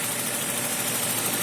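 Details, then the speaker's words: BMW M52 2.0 petrol engine after replacing spark plugs, which cured an engine knock: even, steady idle with no knocking or stray noises; normal idle. "все ровно нет никаких посторонних звуков"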